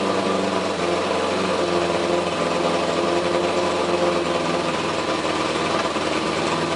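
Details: 1981 Suzuki GS850 inline-four, first start after finishing the exhaust, on a hot day with temporary hacked ignition wiring: busy, fast, even idle clatter over a steady rumble, sounding healthy.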